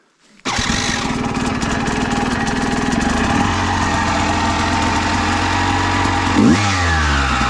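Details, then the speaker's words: Yamaha YZ250 with Panthera Motorsports electric start kit: engine runs with rough rapid rattle over idle, then brief odd whir; starter suspected, possibly ring gear/sprag clutch, not confirmed. "yeah uh something bad happened what happened something bad it's uh i hear it the hell is that noise i was worried about something i mean oh no well i mean i'm worried that is it the starter it's the starter oh"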